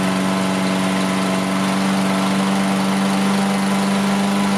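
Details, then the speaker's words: Toro AWD Recycler mower after clearing excess oil from the cylinder, ethanol-free fuel, and raising the idle by bending the adjustment tab: even, steady drone at constant pitch, no stumbling or hunting; healthy idle. "That idle came up. Sounds a lot better."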